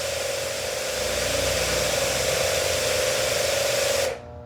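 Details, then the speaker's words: Hanabi 8003 high-pressure washer, 127V induction motor, 60 bar rated, running at the nozzle: steady hissing spray with a thin motor hum, stopping after four seconds; weak, low pressure output, cause not confirmed. "Écoutez, il ne pouvait pas supporter une telle pression à la sortie de la buse. Pas question, hein ? Regardez comme il est faible."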